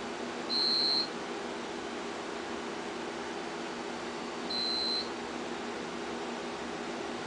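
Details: Home UPS units beeping a half-second tone about every four seconds over room hum while mains has failed and the home-built generator transfer switch did not transfer (generator not running); UPS on-battery alarm.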